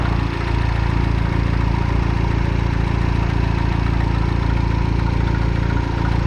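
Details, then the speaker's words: Citroen DS3 after turbocharger replacement, second start: steady, even idle with a regular low pulse, no knocks or rattles; everything dry so far, turbo should now have enough oil. "So far everything is dry, and this time it sounds better. Should be enough oil in the turbo right now."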